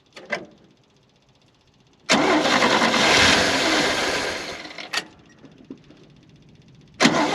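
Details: 1971 International Harvester 1110 pickup, original AMC 232, first start after carb rebuild and tune-up, before timing set: cranks, catches, fairly even fast idle then settles; alternator bearings seem fine, normal start and running.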